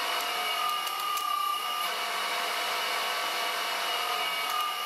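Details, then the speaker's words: Roughly 30-year-old Czechoslovak motor on an old variable frequency drive powering a vintage Karger lathe: steady high drive whine, smooth even hum, no knocking or bearing rumble; healthy. "I'll set it to five first it doesn't sound too bad"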